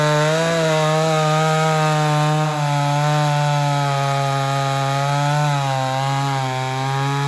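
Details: Ported Homelite Super XL-130 chainsaw cutting wood: strong, steady two-stroke buzz dipping slightly in pitch as the chain bites and recovering cleanly; oil good, runs good; normal cutting under load.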